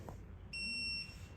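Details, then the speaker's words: Electronic torque wrench exceeding its set torque: one steady high beep about half a second long in a quiet room, display turns red; over-torque warning also showing how far it was exceeded. "se pone en rojo El sonido del pitido cambia avisando eh párate párate detente pero al mismo tiempo me dice cuánto me pase"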